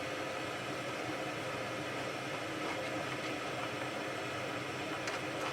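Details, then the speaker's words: Sharp WQ-CD800 boombox, AM works but FM dead, mono/stereo switch tried: flat constant hiss with no station or tuning change; FM reception dead. "Yeah, it's completely dead."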